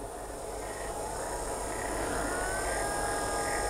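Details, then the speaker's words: Lexus LS400 first-generation front seat recliner motor, bench-powered, about 2 to 5.5 volts, drawing about 1.5 amps at 5.5 volts: smooth even whir rising in pitch with voltage, no grinding or clicking; healthy motor. "it's a real powerful motor it has to be and this is just just working fine"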